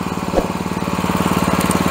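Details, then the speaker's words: Honda-engine pressure washer after carburetor cleaning, choke off, throttle all the way down and warmed up: a quick, even single-cylinder putter with no hunting or surging. It idles normally. "The gas is all the way down she sounds good"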